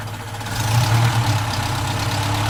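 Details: Opel Rekord P1 engine at a steady low idle with a light, fast clacking riding on top; the exact source of the clacking is not yet pinned down.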